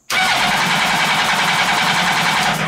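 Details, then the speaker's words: Mini trophy truck with motorcycle engine, bypassed clutch: fast, even cranking for nearly three seconds with no firing; spark present but fuel pump not priming, owner suspects the pump relay. "but it is getting a spark which is good but our fuel pump still isn't working"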